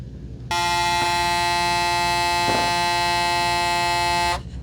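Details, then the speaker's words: Braun Series 9 PRO+ shaver 6-in-1 cleaning base during automatic self-clean: steady buzzing pump tone runs evenly about four seconds then cuts off cleanly as it stops and starts normally. "It'll stop on its own. So it kind of stopped for a little bit, then it starts back up again. again, it kind of stops and starts."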